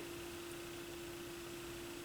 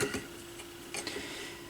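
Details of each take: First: Squeal from a Yamaha YP-B4 turntable near the end of a record as the tonearm returns, first suspected as the belt; a steady one-pitch squeal over faint hiss, suspected lube issue, before lubrication. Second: Yamaha YP-B4 turntable from a thrift store, initial evaluation: faint, steady low motor hum with a few light handling clinks; the motor spins smoothly and quietly.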